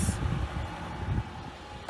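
Low, even idle rumble holding steady without stumbling or dying; the engine runs normally.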